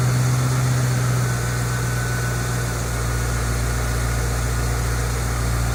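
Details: 2008 Ford Mustang GT V8: steady even low rumble, no knocks, ticks or misses; normal idle.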